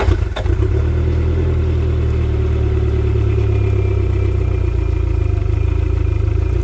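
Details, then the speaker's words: Boat outboard running after a crank-no-start breakdown months earlier: a low, uneven drone whose revs sag and lift on their own without throttle change. Owner suspects fuel starvation. "it shouldn't be doing that yeah it's surging a little bit surgeon surgeon surgeon that's telling me it's starving for fuel"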